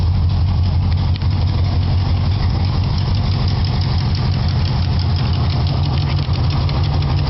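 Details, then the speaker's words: 1976 Chevy Nova, 327 V8 with headers, Edelbrock 4-barrel carburetor and dual glass packs at idle: deep rumble with quick light ticking in time with firing, from an exhaust leak hole at the header base still to be welded. "as you can hear i have an exhaust tick at the base of this of these headers i have a hole i gotta weld shut still"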